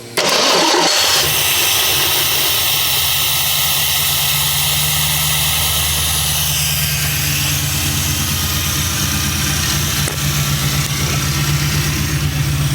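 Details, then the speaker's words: 1979 AMC Spirit AMX with a newly installed Aces EFI system, restarted after a too-tight, sticking throttle was freed. It catches and settles into a smooth, steady idle without hunting: now sounds as it should. "much better that's what it's supposed to sound like"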